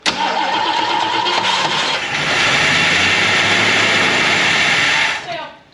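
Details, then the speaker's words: Ford Mustang muscle car, owned since 1975 and sitting since 1993, catches and roars unevenly at high revs, then sags and cuts out after five seconds while stale fuel and sediment are still being flushed from the fuel line; rough running from contaminated fuel. "right now we're still trying to get the rest of the bad gas so go ahead and hit it Emmanuel still bad gas we're almost there"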